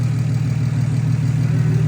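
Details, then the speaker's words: Single-turbo BMW 335i, first startup after a blown transmission and a new clutch fitted, on Motul 300V oil: smooth, even low idle with a steady deep hum and no knocks; earlier noise gone. "All right, he just did the first startup. And look at that. No more noise. No more noise. That shit is quiet. That thing is quiet."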